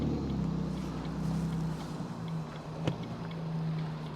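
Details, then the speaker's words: Abandoned Ford Mondeo ST220 3.0 V6, after being revived, rolling slowly outside: smooth, steady low drone with no knocking, rattling or whine; runs healthy and sounds nice. "yeah that sounds nice I can't believe how well that sounds"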